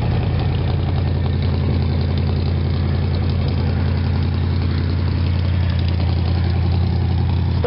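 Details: 1957 GMC/Wayne bus with a 1977 Olds 403 V8, cold start at about 30°F after sitting a month, jumper box on a low battery. Fuel pump suspected weak, exhaust unfinished. Steady, even low rumble with a loud open exhaust and no knocks. Healthy idle.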